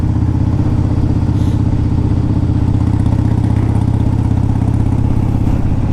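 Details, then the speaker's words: 2002 Harley-Davidson Dyna Wide Glide, started with choke and the choke then pushed in: even, deep loping putter of about four beats a second with no clatter or stumble. Idling fine. "This bike, you pull the choke out, you fire it up, you put the choke in, it's idling fine."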